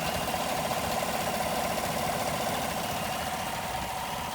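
A petrol engine idles with a steady airy hiss over its low, slightly uneven churn: a vacuum leak.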